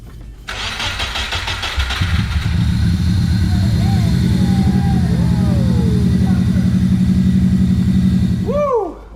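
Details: Subaru Impreza GC with swapped JDM EJ205 engine, first start: starter whirs briefly, engine catches at once and settles into a steady, even idle without hunting or missing.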